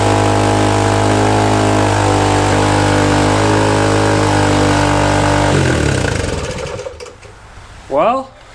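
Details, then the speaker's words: Suzuki DR-Z125 dirt bike after rebuild of a blown engine, started with fuel poured down the airbox: single cylinder racing at a fast idle with raspy popping before dying away; idle super high, exhaust leak also noted. "well it's running the idle's super high and it's got an exhaust leak but it's started"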